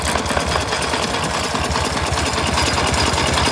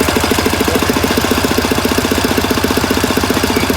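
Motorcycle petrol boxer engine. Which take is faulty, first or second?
second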